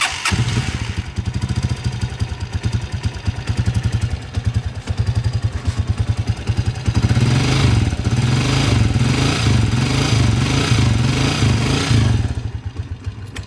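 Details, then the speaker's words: Hataw 150 motorcycle engine, leaking oil, awaiting conversion to 200cc, at idle then slightly raised: small single thump with a constant busy mechanical clatter over the beat; very noisy timing gear. "Yun, so napakaingay na rin pala ng timing gear nitong Hataw 150 na to mga kabro."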